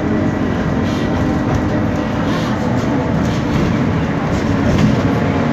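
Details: 2012 BMC Belde bus, Cummins ISBe 6.7 Euro 5 turbo diesel, ZF 6-speed automatic, while driving: steady rumble with a thin constant whine from a noisy differential.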